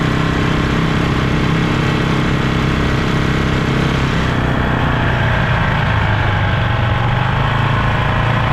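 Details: Polaris Sportsman 500 single after top-end rebuild, riding under load: busy mechanical clatter over the exhaust note; runs with power, cause unknown, owner suspects possible CVT clutch chatter.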